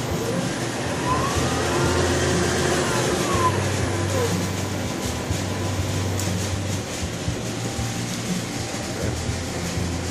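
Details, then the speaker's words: King Rich Deluxe GMV-4 CNC vertical mill with Sony control on Windows 95, spindle run forward and reverse at variable speed: an even motor drone that sweeps up and down with speed, free of knocks or grinding. Healthy spindle. "That's in the forward direction. And in reverse direction. And it's a variable speed."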